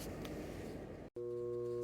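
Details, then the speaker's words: Jacuzzi Del Sol hot tub pump with FL1 error, shaft spins freely (not a seized bearing), after fitting a new capacitor: rushing noise drops out, then a steady electrical hum with no spin-up; pump still fails to start, cause unconfirmed. "even with the new capacitor it still hums so i'm gonna take it apart"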